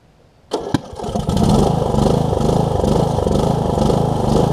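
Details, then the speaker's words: Murray riding mower bought cheaply from a family friend, first start attempt after adding oil and just a little gas: a couple of cranking clicks, then it catches and settles into a steady, even single-cylinder putter. Starts and runs fine. "let me get gas in it so it's not leaking we'll crank it up and see if it'll stay running for us"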